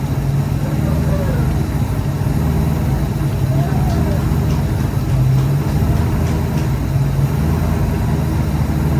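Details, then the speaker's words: SN95 Mustang competition drift build first run after fuel pump replacement, no coolant in the system so run briefly: loud, steady idle with open-exhaust rasp and no knocks or misses; engine sounds healthy; normal idle. "Um, there we go, though. It's alive. Everything is working as it should, it appears. So that is a huge victory."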